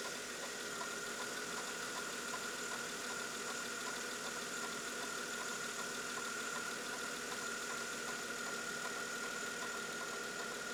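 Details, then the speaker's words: 2000 Mercedes-Benz E320, 25 years old, just after idler pulley and belt replacement: steady, even idle with faint high whine, brief noise fading away, no belt squeal or chirp; healthy engine. "let's give the car a start see how well it holds up what is that there's an missional noise the noise seems to be going away"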